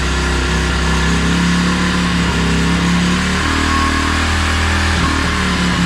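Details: 2016 Tao Tao 110cc pit bike right after a top end rebuild and timing set, started on one kick: single-cylinder thumps steadily, pitch climbing and falling cleanly through throttle blips; no knocks or misses, runs healthy.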